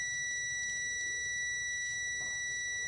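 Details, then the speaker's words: Multimeter continuity test on rectifier diodes in the power supply of a dead Samsung UA32EH4000 LED TV: steady, unbroken high beep in both probe directions, showing the third diode is shorted. "bunyi bip tunggu beberapa detik Apakah dia hilang nah ini tidak hilang berarti korselet dia"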